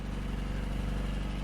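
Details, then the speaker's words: 1964 Triumph Herald, about 1200 cc, idling after a fuel pump rebuild, with newer carburetors and a stainless exhaust: steady low idle with a nice even tone and no knocks or misses; running well. "this is really nice it sounds really good see if you can hear a little better nice even tone too"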